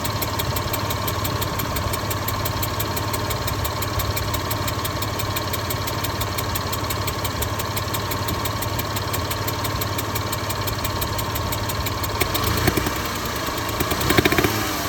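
An idling car engine with a quick, steady tick and a faint hiss layered over the hum. Cause suspected, not confirmed.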